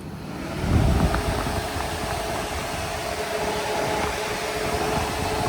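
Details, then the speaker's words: J35 sandrail, key on, radiator fans switched on by jumping the fan switch plug. Steady, even fan roar with no rubbing or rattle; fans working normally. "Fans are working. We'll simulate the fan switch cooling off."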